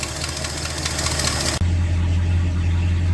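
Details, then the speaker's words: 1968 Ford XL convertible V8, cold idle after about three years stored: rapid puffing tick about four per second following engine speed, a ridiculous exhaust leak from a warped exhaust manifold on one side. "here's the first thing we have to fix before I go out in public in this thing it's a ridiculous exhaust leak on this side"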